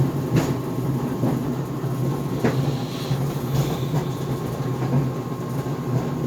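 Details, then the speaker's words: GE Profile Harmony dryer on the cooldown cycle of an 11-minute sneakers cycle without extended tumble: low tumbling rumble with loud, uneven thumps every second or two inside the drum; cause unclear. "So this GE Profile Harmony dryer is making a banging noise. It is on the cooldown cycle right now, because I set the dryer time to 11 minutes without extended tumble."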